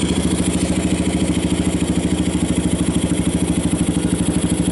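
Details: 1990 Kawasaki Bayou 220 ATV with replaced carburetor, rebuilt recoil starter and good compression, just started: a steady, even single-cylinder putter at about three beats a second with no misses or knocks; charging the battery, a little smoke. Normal idle.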